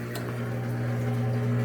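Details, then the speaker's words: Frigidaire GLWS1749AS5 top-load washer after repairing squeaking upper transmission bearing with a quick fix: drain pump pumping water out with steady low electric hum and watery gurgle, no squeal or grinding; normal drain pump operation. "okay you see going show you that pumps some water out of it like it's supposed to good"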